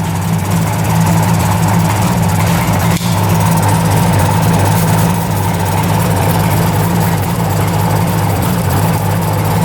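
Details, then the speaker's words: 1975 Suzuki GT750 two-stroke triple, sitting since 1986, just revived: smooth, steady low burble at about 1,000 rpm with no stumbles; all cylinders firing and hot, a healthy idle. "I believe it's running on all cylinders."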